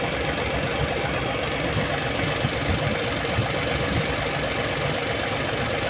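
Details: Hino 700 with E13C diesel, low power, rough idling and hard starting: idle with an uneven lumpy beat and shaky rhythm, one cylinder missing; misfire from malfunctioning injector #5.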